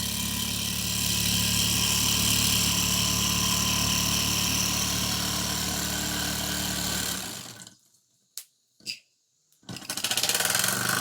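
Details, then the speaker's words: Old Mamod toy steam roller, not run in decades, cleaned, oiled and new belts fitted, running in reverse on steam: steady fast even chuffing hum, smooth before stopping; runs cleanly. "She is running an absolute treat. Reverse. There we go. It's running in reverse as well."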